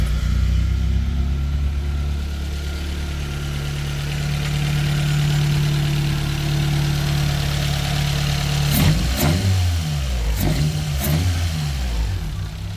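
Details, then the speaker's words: Toyota AE93 Corolla SX Seca, freshly rebuilt 4AGE small-port engine (previously burned about a litre of oil weekly); smooth, steady low idle with even firing for about nine seconds, then quick throttle blips; sounds healthy. "nice and healthy"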